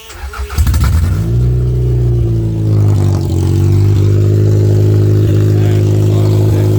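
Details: Toyota Camry derby car revving after a replacement plug wire was fitted, fuel tank tipped to keep gas forward. Steady drone with a faint occasional stumble. Running much better but still slightly rough, possibly a minor misfire.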